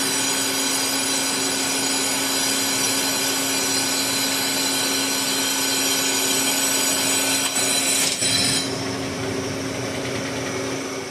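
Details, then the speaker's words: Lathe turning a cast-iron Volvo axle bore for a repair sleeve, worn insert at high surface speed: steady scraping cut with a rough chunk about three times a second, once per turn, as the insert crosses a hard spot. "hard spots in iron to really get you so right here you can see that little spot I can hear it every time I go past it it's a chunk chunk chunk as it crosses that"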